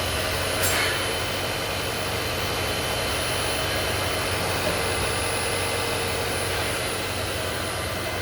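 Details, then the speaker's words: Hybrid after crankshaft position sensor replacement, 12V jump start and a diagnostic-tool forced engine run to charge the 32% high-voltage battery: steady, even engine hum with a high whine and no knocks, running normally with no warning lights. "엔진 작동 소리도 좋네요. 이렇다 할 경고등도 없네요."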